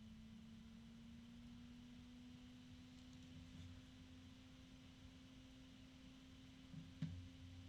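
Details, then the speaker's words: Arctic PC case fan, compared against a Noctua: noisy from the start, steady slightly rising mid-pitched hum over low airy rush with an odd medium, almost metallic tone over the blade noise; very loud fan. "it's noisy from the start there's an odd noise that I did not expect to hear it's a medium tone almost metallic the pitch of the fan itself is low the low noise has disappeared because this fan is just so loud"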